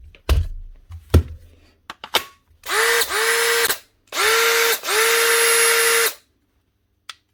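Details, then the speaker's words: Makita DHP42 cordless drill after a new armature and brushes were fitted for a burnt-out motor; two trigger pulls, the motor winds up quickly to a smooth, steady whine with no rattle or grinding. Normal drill motor run. "That's her, up and running. She'll not smell great for a little while because she still smells of burnt out motor, but that'll fade over time."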